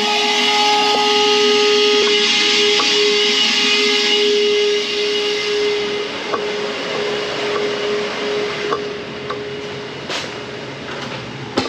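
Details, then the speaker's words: HVAC primary condensate drain line being vacuumed with water poured in: steady vacuum whine with sharp slurps and gurgles as water pulls through; clogged drain line clearing. "I can hear it. You can hear it guggling. That's how I know I got it now."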